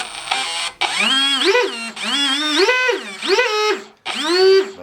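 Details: Bro rcSurfer RC surfboard with Swordfish 120 A ESC on 3-cell LiPo, after ESC setup: clean motor whine rising and falling through four short smooth spin-ups, no rough or grinding edge; motor running normally.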